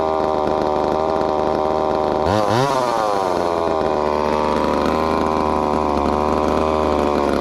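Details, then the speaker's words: Ported 2375 chainsaw on methanol after carb mods and ignition timing changes, cutting dense wood: high scream, then drops and chugs as the chain grabs hard, recovering slowly. Owner says it needs a little more fuel; slightly lean under load, cause unconfirmed. "she's gonna need a little more fuel in the cup but i don't know if uh that wood's pretty dense you can tell by how hard that chain's grabbing"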